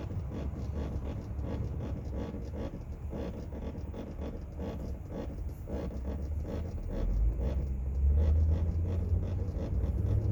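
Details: 2004 Chevrolet Tahoe, noise from the rear AC panel: low rhythmic thumping pulse about three or four a second over the cabin rumble, rising slightly later; something in the rear air system.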